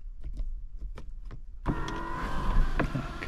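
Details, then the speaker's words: 2001 Lexus IS300 sunroof: a few light clicks, then a smooth, steady electric motor hum through the vent and open/close positions, on a low battery. Normal sunroof operation. "here's our open and close so that's working"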